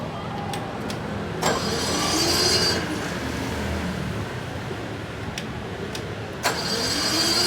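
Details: Diesel generator SDG12800E: two sharp cranking bursts a few seconds apart, then a rough rumble that won't settle; hard starting.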